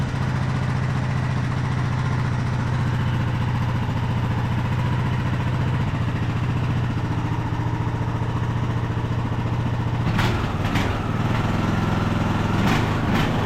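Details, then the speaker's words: Craftsman YT3000 riding mower, abandoned about 4–5 years, high throttle with parking brake set; drone's speed rises and falls slightly; surging, owner suspects carburetor main jet not clean enough and plans to reclean carb. "well we definitely have some uh some surging going on there well that's a bummer we definitely have some surging going on so probably our main jet on here is not clean enough"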